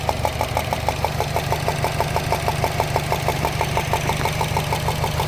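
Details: 2013 Subaru Impreza WRX at idle: loud, sharp, very regular ticking, about three clicks a second over a low hum, like a golf ball sliding around inside the engine; located near the turbo, cause not found.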